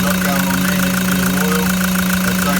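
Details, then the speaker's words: Toyota Land Cruiser 120 Prado, newly installed replacement diesel engine just after first start: steady, even idle with constant hum, no misses or knocks, no exhaust smoke; healthy. "oh beautiful as soon as it starts it just sounds like an absolute gem"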